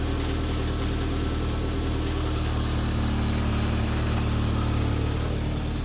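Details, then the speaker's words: MK2 Golf GTI with intermittent idle valve (ISV) buzzing: smooth, even idle at about 1,000 rpm with a steady low hum and no lumps or stumbles; normal idle. "That seems to be idling nice and smooth. Let me check whether the idle valve was vibrating, but that seems all right. Doesn't seem lumpy. [Music] Sounds nice. Hiding at 1,000 RPM."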